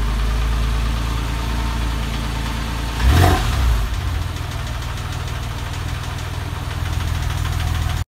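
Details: Porsche 996 at idle: rough running with irregular tapping about four per second and one brief surge; abnormal engine noise, cause unknown.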